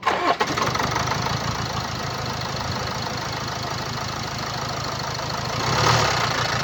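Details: 2017 Land Rover Discovery V TD4 2.0 diesel (R4/2.0TD4, 132 kW/179 PS, 109,695 km) idling: fast, uneven rattle over the diesel clatter, steady with engine speed, from a stretched timing chain.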